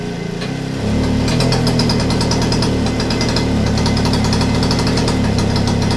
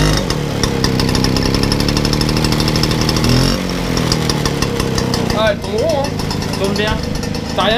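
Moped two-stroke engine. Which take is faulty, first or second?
first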